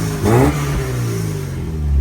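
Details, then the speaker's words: Alfa Romeo 33 16-valve: a quick, crisp throttle blip rises and falls cleanly back to a steady, even idle with a deep bark; the engine sounds healthy. "Oh, it's got a right bark, haven't she? Give us a blip."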